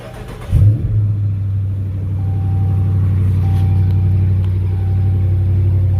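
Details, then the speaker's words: 2018 Dodge Charger R/T 5.7L Hemi V8 idling after an oil change: a steady, smooth low idle after a brief start-up rev, with the standard Hemi tick faintly audible; normal idle. "So now what we're going to be listening for is that standard Hemi tick."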